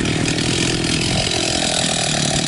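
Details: Profi two-stroke string trimmer that would not start after winter, after carburetor cleaning and reassembly, being tuned: high, even buzz holding steady speed with no stumbling or misses. Runs normally.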